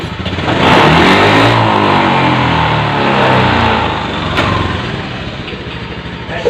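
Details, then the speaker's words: Honda Beat FI injection scooter, starts smoothly: under full throttle revs climb unevenly with wavering, stuttering note, power lost and engine nearly dies; no fault code shown; TPS sensor suspected, not confirmed. "jadi ketika digas pol tenaga ini hilang bahkan mesin ke Jeddah mati"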